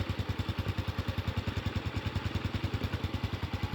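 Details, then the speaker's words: Honda Wave 110i, an old bike, idling after an engine rebuild: even, steady single-cylinder thumping with no knock or rattle; only a slight exhaust leak from a cracked pipe is heard; normal. "เงียบนะมีเสียงท่อเอ่อท่อมันรั่วนิดหน่อยแค่นั้นเองเห็นรอยพ่อเป็นขาดนะมีเสียงมันก็มีลมรั่วออกไปๆเป็นปกตินะครับรถเก่าแล้วประมาณนี้ครับ"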